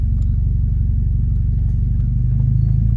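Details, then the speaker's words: Automatic transmission shifted from park into reverse with brake held: deep heavy thump and shudder that shakes the car, low steady rumble; harsh engagement, possibly from a faulty neutral safety switch or possibly the transmission. "uh we're gonna be addressing an issue with an automatic transmission when you put it in drive or you put it in reverse it bangs in all right"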